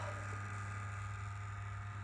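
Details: Acer Nitro 5 laptop cooling fan with a steady low hum and dry, buzzy rattle at constant speed, present for about a month; cleaning didn't help, so the fans are being replaced.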